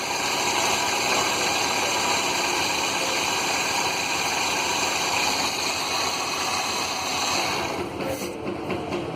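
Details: 2008 Chevrolet HHR during ignition and fuel system testing, oscilloscope on the ignition coil: even idle under hissy top-end noise, no misfire or stumble; normal running.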